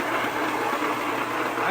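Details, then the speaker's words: Homemade rock tumbler running nonstop for months: steady rough gritty rumbling churn, growing louder; owner suspects worn bearings, with a breaking belt also seen. "getting pretty loud in my shop this homemade tumbler of mine is getting noisier and noisier so what do we do about that"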